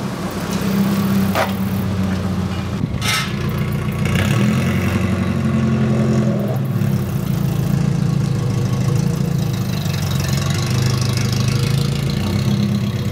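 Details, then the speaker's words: Nissan 240SX at idle: heavy constant jet-like roar that barely eases, from the engine fan; fan clutch has failed, fan or clutch needs replacing. "so as you guys can probably tell from the sound there it sounds like a jet engine and that is basically coming from this guy right here basically the clutch in this is gone these these fans have clutches so I need to either replace the whole fan or just replace the clutch"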